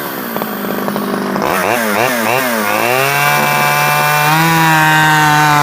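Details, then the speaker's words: Stihl 011AV chainsaw after a carburetor rebuild and after the coil-to-spark-plug wire was taken apart and refitted: it blips, then holds a steady high buzz and runs better. Owner guesses it may still need crank seals, as tuning is awkward. "I took it off and took it apart and put it back on and it seems to run better"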